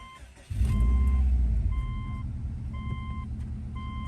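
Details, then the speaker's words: 2006 Subaru Outback XT turbo started right after an oil change with Motor Medic motor flush and refilling about 4 quarts to the full mark; catches at once and settles to a steady idle, a clean, healthy start. "Starts up beautifully. Sounds good."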